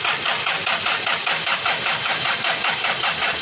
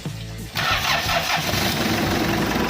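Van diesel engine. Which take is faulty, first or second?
first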